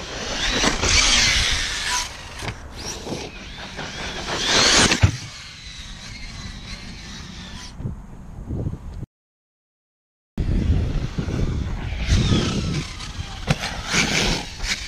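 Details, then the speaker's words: Old BLX brushless motor in an RC basher with a cracked end bell: motor whir rises and falls with throttle under a rough, gritty grinding as the pinion and spur gears run out of mesh. "oh that doesn't sound right well that might be it for the day guys i had noticed my end bell was cracked on this old blx motor so yeah what i'm seeing now is my gears just aren't in alignment anymore"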